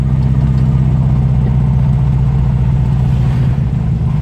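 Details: 1976 Datsun B211 (B210) A12 engine climbing a hilly road under load, uneven stumbling misfire from a Hitachi DCG 306 carburetor main jet blocked by dirt or water.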